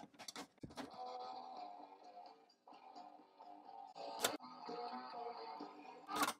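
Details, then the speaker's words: Vintage AM/FM phono receiver 8-track after teardown and minor work, playing a 1977 tape, one channel, unit face down: steady pitch, no wavering or dragging; clear playback, transport at correct speed. "you know what that actually sounds good like this tape it's not really muffled all things considered with one channel like this and face down it sounds clear it does not sound like it's hesitating and dragging like everything's moving at the right speed"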